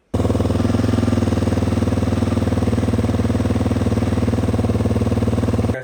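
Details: New Beta 4-stroke EFI dirt bike after replacing the leaking fuel pump elbow (AB-22014) and remapping: steady even idle thump about four beats a second, no hiss, misfire or stumble; normal.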